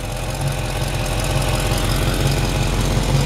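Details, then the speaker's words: Cold 1973 Camaro V8, recently rebuilt, Edelbrock Performer intake, long-tube headers, mild cam: deep idle with a slightly uneven low pulse and hiss; owner suspects a small exhaust leak at the donut gasket. "engine fires right up sounds like there's a small exhaust leak on the donut gasket down here"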